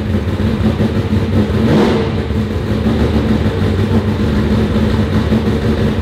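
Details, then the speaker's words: Turbo Trans Am of about 1200 hp on the dyno after fixing a possibly mislabelled sensor (maybe the MAP sensor) that had it running soft. It pulls hard and clean under load with a full, steady roar and no stumble. It sounds better and made real horsepower. "oh that sounded better did you see that fireball that sounded better that sucking loud"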